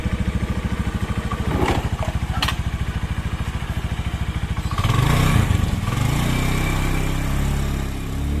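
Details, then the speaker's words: Honda Beat carbureted scooter that sputtered and stalled, after replacing the faulty kiprok (regulator/rectifier): steady even single-cylinder putter swelling into a clean strong rev with no misses; power restored, healthy acceleration. "teman-teman jadi tadi otak-atik otak-atik ganti kiprok Ya intinya Ya enak udah tenaganya gede lagi gendong gini"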